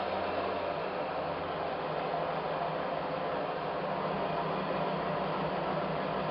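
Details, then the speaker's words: Mecacyl demo friction test rig running conventional oil under 5 kg load: a loud, steady hissing rush with no letup as the lubricant film reaches its limit and starts to seize, close to film rupture. "entend beaucoup de bruit c'esti qui commence déjà à Sailler qui trouve déjà ses limites et seulement seulement maintenant commence à grisser"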